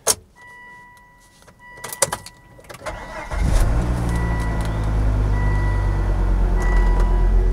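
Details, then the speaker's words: 200,000-mile P2 Volvo XC90 2.5T five-cylinder turbo: dash chimes and clunks, short crank, engine catches cleanly and settles to a smooth steady idle; normal start and idle. "now before we depart let's listen to a nice sequence of noises because i always love the sounds of volvos"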